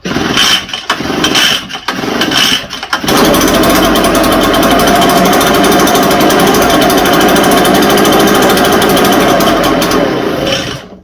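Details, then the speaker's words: Echo TB580T two-stroke blower in a cold garage, fresh non-ethanol mix: a few blips, then a loud, fast steady buzz far above normal idle; idle speed set too high. "Check this throttle around a little bit. Got way too high."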